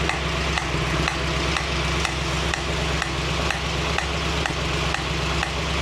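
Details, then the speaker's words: 1965 Mustang GT Convertible idling evenly after installing a Tuff Stuff 7068K 140 A alternator, fan on: a new steady sizzling hiss with a soft tick about twice a second, seemingly from the carburetor; cause unknown. "so that's a new sound it sounds like it's coming out of the H carburetor"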